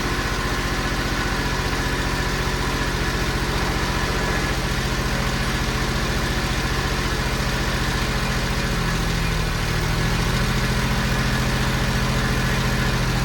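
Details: Kubota ZD28 zero-turn mower with a D1105 diesel, at low idle after cleaning fuel injectors and replacing fuel filters: a steady rattle that sags and deepens as the engine bogs down. No fuel leaks were found, and the cause is still unresolved.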